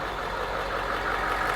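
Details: Bus with a freshly installed remanufactured diesel engine, air filter box off and intake open: steady idle with a loud, even intake rush and no knock or miss; normal, healthy-sounding engine.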